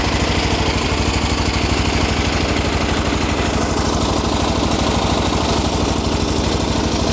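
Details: Old MTD riding mower with a cast-iron-bore single-cylinder engine, rubber engine-mount nuts tightened to cut shaking: steady, even beat at throttle with no misses or knocks; runs smoothly, no smoke, not burning oil.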